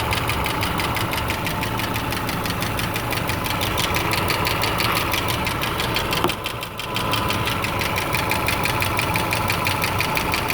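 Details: 2008 Subaru Legacy 2.5i idling with a steady, sharp ticking, about three ticks a second, from the passenger side; possible P0303 cylinder 3 misfire code. Owner asks whether it's a rod bearing, lifter, valve adjustment or timing.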